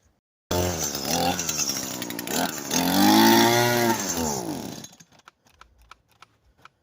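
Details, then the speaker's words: Echo SRM 225 two-stroke trimmer after WD-40 was applied: fires and revs briefly, pitch rising then sagging, sputters and dies to scattered pops, not staying running. "Okay, for some reason this thing isn't staying running. Wonder what's causing it to bog down, but we'll see."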